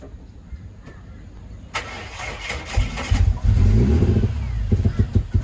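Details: Ford Barra six-cylinder, just jump-started: it catches and runs a fast, rough, lumpy idle near 2000 rpm with uneven exhaust pulses, not cammed; vacuum leak from the intake manifold gasket.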